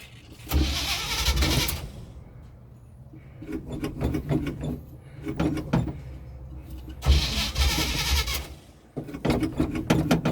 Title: Hard starting the 1984 chevy